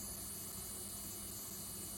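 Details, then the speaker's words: GRIPONE KartCross throttle servo after installation: a steady, excessive buzz as the servo strains against its end stop because its 0% zero point is set one step too far back; stepping forward one notch removes the buzz. "è eccessivo e quindi il servo motore è in sforzo sono venuto troppo indietro"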